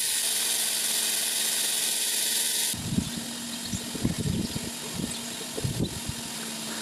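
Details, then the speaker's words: 12 V 5 A electric pump run from 16 V DIY lithium battery pack, pumping kerosene from oil tank: hissy start then steady even motor hum with liquid gurgle; pump working normally. "Right, I'm going to connect it up, you'll hear it, the pump start, and then hopefully we'll get the flow."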